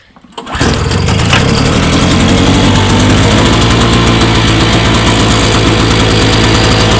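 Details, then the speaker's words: MTD Yard Machines 4.5 HP 21" snowblower, fresh gas, after cleaning a gummed-up carburetor with a badly clogged main jet; catches after a few sputters, then settles into an even, steady single-cylinder beat, running normally. "so I obviously got it back together and it's running tubers so just a little bit of carburetor cleaner that thing's up and running"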